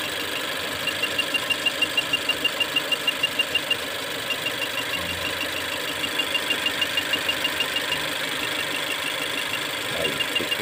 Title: Mazda 2 intermittent misfire